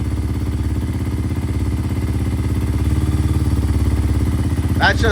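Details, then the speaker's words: Kawasaki KLX230 at idle after a Pro Circuit full exhaust was fitted with no tune and before an EGR delete, already backfiring: lumpy, uneven popping single-cylinder idle; dangerously lean idle. "That's just idling. That's not even riding. No, there's no airflow, but even then, that means it is on the dangerously lean side."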